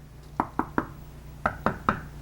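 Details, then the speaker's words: Ungrouted tile on thinset: three sharp taps on a solid tile, then three on a loose one ringing higher and hollower, rattling; found during grouting. "hear the difference it rattles around a little bit so so that's the one that's that's the culprit right there the loose tile"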